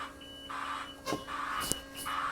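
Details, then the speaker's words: 2011 Niftylift HR21DE with batteries fully charged: steady electric drive motor hum with the travel alarm beeping about every 0.75 s; drive very slow despite the stowed high-speed (rabbit) symbol, feeling like elevated drive; intermittent slow drive, cause unknown. "so drive is very slow but when i'm going into drive i have this rabbit symbol coming up on the on the display and that means the machine is stowed and is set for the high speed drive but it feels like it's an elevated drive"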